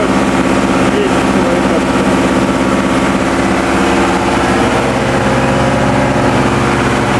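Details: TDME 490 58 hp marine diesel with 3:1 hydraulic gearbox, newly fitted to a motor boat in place of a 4Ch 8.5/11, not yet run in, on sea trials: 2000 rpm, speed 11, cutting waves. Steady, even drone over hull and water wash with no knocks or misses. Normal running under load.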